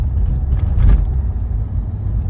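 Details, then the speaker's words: 2015 Renault Megane 3 1.5 dCi diesel on the move after replacing the stiff fuel return hose with a softer one: low even rumble with no droning hum while accelerating, coasting or braking; hum fixed. "bıraktım gene ult yok Ses tamamen kesildi frene basıyorum Şu an hiç bir ult yok Biraz da gaz veriyorum şimdi gene ses yok"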